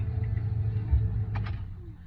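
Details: 2007 Nissan Titan, which clicked once but wouldn't start, starts right up after ignition switch replacement. Low, even idle rumble with no stumbling or misfire; normal idle.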